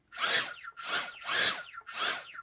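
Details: Mobula7 (FlySky) micro quad armed via Turnigy Evolution transmitter: four quick throttle blips, small motors whir up to a high buzzing hiss and wind down, running normally.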